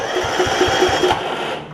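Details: John Deere RX75 riding mower after a 9hp Kawasaki engine swap, hot-wired and in neutral: steady starter cranking with even pulses about four or five per second; the engine turns over normally without catching.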